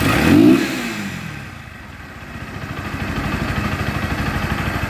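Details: Bajaj Pulsar NS 160 test start after fixing an RPM problem and engine oil in the air filter, air cleaner foam open: even single-cylinder beat picks up smoothly with the revs, with extra intake hiss; engine runs healthy.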